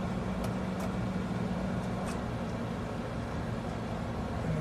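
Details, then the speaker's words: American Standard/Trane outdoor AC condensing unit with power applied: steady low electrical hum with no run-up to speed as the compressor stalls, unable to start without its run capacitor. "you might hear the compressor humming trying to start but um without the capacitor it's not going to be able to so let's see what's going on"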